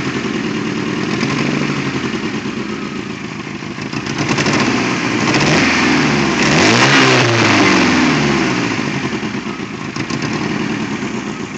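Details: Toyota AE86: the engine idles and revs unevenly with a stumbling, misfire-like beat, caused by a bad throttle position sensor (TPS).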